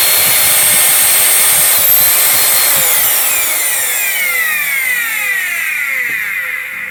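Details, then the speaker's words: Old bag-type branded vacuum cleaner with a small motor, no speed regulator, final test at maximum speed after repair: steady high whine then smooth coast-down; no commutator sparking, armature intact, bearings and fan remain concerns. "Есть еще шанс у этого двигателя поработать несколько год на благо хозяйки или хозяина, потому что вот видим по коллектору, что вообще нет никакого искрения, а это самое главное."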